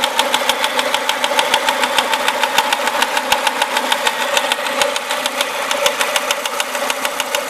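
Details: Renault Clio RS engine: sharp, even ticking about three times a second rides over a steady idle; something is tapping in the engine, source not pinned down.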